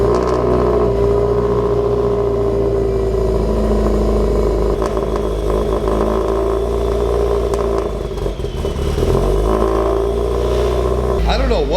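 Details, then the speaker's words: Subaru STI cold start: rough, surging idle hunting up and down. A vacuum leak was suspected but none was found; the failure was traced to a dead O2/AFR sensor. "you just did a cold start and it sounds like there is a massive vacuum leak in this area"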